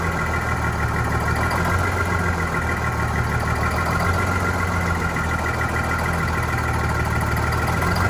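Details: Vintage diesel bus on a very cold day, big diesel idling with a low, slightly unsteady, faintly wavering note; uneven running after fuel hose replacement and re-priming, clear fuel-line section showing air, suspected fuel supply air.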